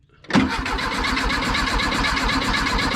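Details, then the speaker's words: 1976 Volkswagen Beetle with '40 Ford kit, sat for years, cranking with fuel poured into the carburetor; starter churns at a steady even beat for seconds but never catches: crank, no start. "all right hit it again doesn't seem like it's fire hit"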